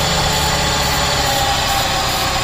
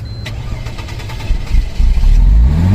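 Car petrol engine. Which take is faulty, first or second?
second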